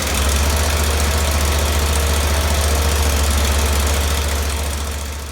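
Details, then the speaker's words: Mini snow cat running with its newly built exhaust fitted after being ridiculously loud before: steady low drone with an even rapid beat, about three and a half pulses a second, no knocks or rattles; runs fine, exhaust tamed. "Let's take a listen to what this thing sounds like with the exhaust on it. It was ridiculously loud before, so hopefully it's half that."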